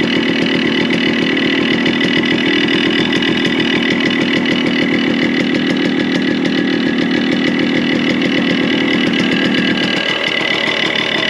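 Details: Yamaha RX100 two-stroke, revved: harsh, uneven rattling knock over the exhaust buzz; top-end noise, suspected crack or worn block/piston.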